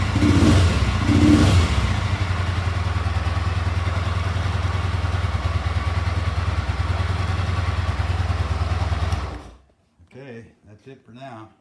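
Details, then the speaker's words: Rebuilt 1973 Yamaha TX650 twin, 17,099 miles, new carburetor overhaul, top and bottom end, clutch plates, headers and mufflers; cold start on choke then steady, even low idle with no knocks or rattles before shutting off. "Here we go. I'm gonna crank it up for you. I'm gonna turn the gas on. Give it the choke."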